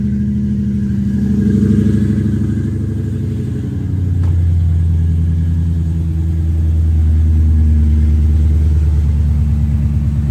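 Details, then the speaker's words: Coyote V8-swapped New Edge SN95 Mustang with Flowmasters, fairly quiet exhaust: fires straight up at a high fast idle, then after about 10 seconds settles to a smooth, even burble around 800-900 rpm. "idles down rather quick. After about 10 seconds, the idle goes down to about 800, 900, and it just purrs like a kitten."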